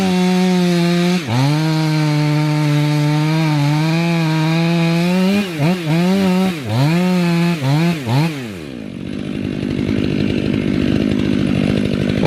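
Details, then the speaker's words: 500i chainsaw with 3/8 steel chain, filed but depth gauges (rakers) never lowered: screams at full rev, then pitch sags and wobbles as the chain grabs in the cut; cause suspected, not confirmed. "all the way up to this point i have not touched the depth gauges of the rakers on this chain at all the only thing i've done is fallen on it and you hear it kind of grabbing a little bit there"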